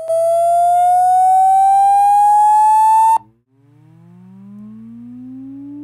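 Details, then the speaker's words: Google Pixel 2 XL phone speaker playing a rising test tone from a frequency generator app: gritty buzz strongest around 700-900 Hz; cause not confirmed. "they kept lowering the peak frequency down lower and lower and lower and finding out where it started buzzing more"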